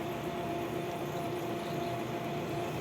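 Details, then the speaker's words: Used bias-binding cutting machine (máquina de cortar viés) after lubricating its shafts, which had been stiff and squeaking: steady even hum with faint constant mid tone, no squeal or scraping; normal smooth running. "e ela vai correr macia Pode ser que o seu problema seja esse"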